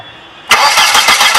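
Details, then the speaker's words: Car that suddenly won't start: steady fast starter cranking with no firing; testing shows no fuel at the rail test valve and no spark at the plugs, so the crankshaft position sensor is diagnosed as failed. "كده مفيش كهرباء طالعه ولا في بنزين طالع، يبقى كده على طول العيب حساس كرنك."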